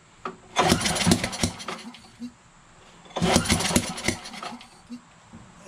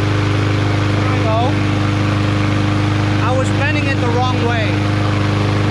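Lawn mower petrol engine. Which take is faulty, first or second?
first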